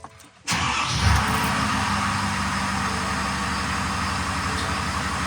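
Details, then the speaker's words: Used 2020 Ford F450 cab chassis 6.7L diesel after replacing both upper and lower fuel filters and priming: a quick crank fires into a steady, even idle with no stumble; no leaks, running fine. "I don't see any drips I don't see any leaks that's good truck is running fine ready to go camping"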